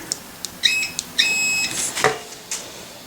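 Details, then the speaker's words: Continuity test on the wiring of a 330 MiniHex build: short, clean high beeps when the probes touch, confirming a good connection. "all good there so we should get sound there"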